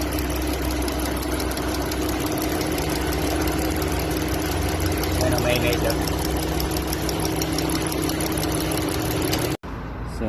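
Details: Dodge Durango engine idling with a light, even tapping knock about four per second over the hum; knocking present, source unclear.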